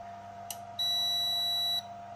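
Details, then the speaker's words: AIMS Power 1250 W inverter charger on a 5 A-limited bench supply: single steady high beep about a second, then quiet hum as it switches cleanly into charging mode, outputting about 14.2 V. Normal charge-mode beep. "And it did. It went into charging mode, and on the power supply I've got like 14.2 volts."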